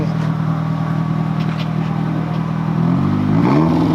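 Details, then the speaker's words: Nissan 240sx, first start of the season after new spark plugs: steady even idle, a quick throttle blip, then drops back and holds idle without stalling, where before it would die; some fumes smelled. "and it's still idols normally it would die at that point if I let go of the gas and it's idling so it's crazy how much the actual plugs changed what this car does"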